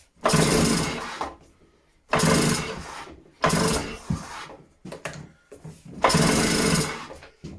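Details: Stihl disc cutter, first start attempt on choke: four rope pulls, each a rasping whirr of about a second, with no pop or catch; the engine isn't firing.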